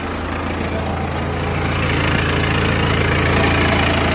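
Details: Steady diesel idle on a BMW 3 Series right after a major service with oil changed and the fuel filter primed and bled. Even low rumble, no misses or odd knocks; engine running smoothly and healthy.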